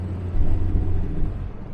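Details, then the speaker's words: 1975 Jaguar XJ6 with 123 ignition distributor, driving under load: deep rumble surging and sagging unevenly, missing under load; began after an overcharging alternator was replaced, owner suspects a bad coil or distributor damage, unconfirmed. "it's doing it again hmm I really hope it hasn't damaged my distributor that's stupid overcharging alternator these things are quite pricey"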